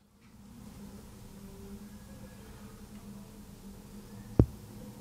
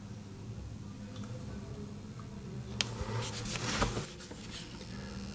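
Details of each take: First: IKEA Sjöss 45W dual-port USB-C charger, plugged in: near silence with faint room hum and one brief click, no buzz or whine; normal quiet operation unlike the buzzing 30W model. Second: IKEA Sjöss 30W USB-C charger plugged in with no cable or device attached: very quiet steady low hum and buzz amid handling noise; no-load coil buzz that stops when a phone is charging, while the 45W model stays silent.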